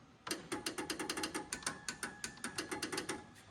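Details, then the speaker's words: Squarebody Chevy truck passenger-side door power window: fast, even clicking about six per second with no motor whir, glass not moving; window motor clicking but not driving the glass, owner replacing it with a new motor. "now the passenger side when I hit it it just click click click click"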